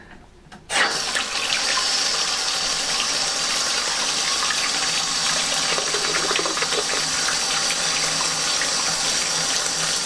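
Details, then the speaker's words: Old toilet cistern refilling after replacing part 1 ball float valve with Pegler part 2 high-pressure float valve, float roughly set; soft steady water rush, no hammering, whistle or chatter — quiet normal refill. "I really want them to be finishing off pretty close to where it is now notice how quiet"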